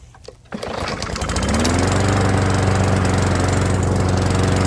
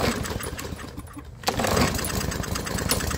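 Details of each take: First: Old Murray walk-behind mower after idle fix: governor spring lever bent forward slightly for more tension to raise idle; catches after a pull, steady even putter with no misses; normal idle. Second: Murray single-cylinder lawnmower that wouldn't run and made a terrible sound, now idling steadily but a bit slow; idle set slightly low, carburetor running okay.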